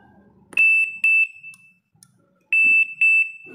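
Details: LG Inverter refrigerator not cooling: two sharp high beeps, a pause, then two more, as the control acknowledges the defrost test button press; the defrost heater draws 0.8 A, and the defrost sensor is concluded faulty.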